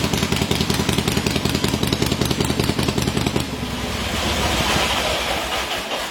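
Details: Freshly rebuilt motor on a testing stand, finished about an hour earlier and already run, head bolts retorqued after warm-up: even, lumpy V-twin idle about two and a half beats a second, then a smooth rev, no knocks or ticking; healthy.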